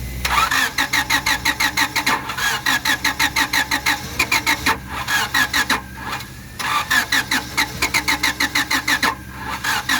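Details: 1997 Honda Civic, crank no-start: starter spins the engine in even bursts, roughly four to five turns a second, with pauses between tries; never catches.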